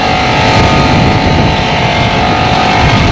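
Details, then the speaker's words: Mitsubishi PU-12YAKD ducted split unit with a three-phase Copeland ZR-144 scroll compressor, restarted after a P8 error: loud, rough, constant roar with no load change; suction and discharge pressures almost equal at 115; compressor bypassing internally, not pumping. "तो जब हम ऊपर आए थे तो इसको हमने खोला, इसका कंप्रेसर जो है वो आवाज़ कर रहा है, यानी ऐसा जैसा चल रहा है, आप लोग को आवाज़ आ रही होगी।"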